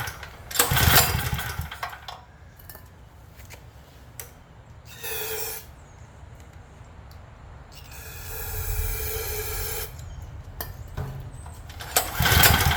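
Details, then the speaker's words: Craftsman generator no-start: rope pulls spin the engine with a soft whirr and spray hisses in between, but it never fires. Spark is weak and there is no popping with fuel sprayed in. Low compression. "Yeah, there's spark. I'm spraying stuff straight in. I'm not popping. Even though the spark was weak."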